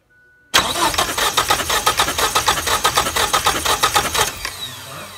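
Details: 1989 Ford Probe GT 2.2 turbo intercooled cranks evenly, about four to five compressions a second, for nearly four seconds without firing. New fuel pump, fuel pressure, spark and timing good, no fuel spraying; gummed-up fuel injectors suspected.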